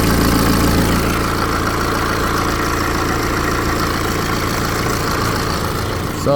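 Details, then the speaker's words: BMW 320d N47 diesel, 181,000 miles, on startup before upper tensioner replacement: dense metallic rattle over the idle for about five seconds, chain slapping from a worn upper timing chain tensioner. Timing chain rattle on cold start. "hopefully you could hear that for about five or so seconds the chain was rattling."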